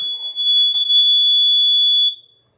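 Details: Honeywell H450EN CO detector at end of life (about 7 years, sealed batteries), switched off via its slide switch with a screwdriver: one shrill steady tone of about two seconds, then silence as it powers down.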